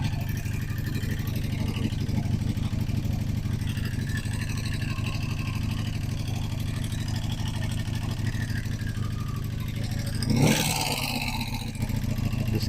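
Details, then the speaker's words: 1985 Honda Magna V30 V4 after a carburetor rebuild and refit, idling with a loud, fast rattling clatter far worse than normal valve chatter. Up close it sounds about to explode; the cause is unknown. "It's valve chatter, but like valve chatter and then some."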